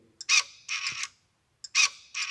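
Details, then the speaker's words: VW Sharan / Seat Alhambra / Ford Galaxy door lock with trim unscrewed, micro switch operated by hand: two quick pairs of high whirring buzzes, each with a firm stop; the unlock motor works normally, the fault being the micro switch not fully pressed. "can hear the sound how to unlock motor working so this one in here so this this unlocks the look"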